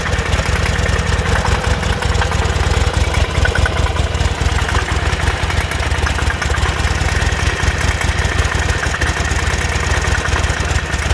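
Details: 2006 Buell Ulysses XB12X V-twin, 56,000 miles, idling: steady, fast knocking over lumpy low rumble, appearing right after a full service of fluids, filters, O2 sensor, intake seals, fuel pump and bearings.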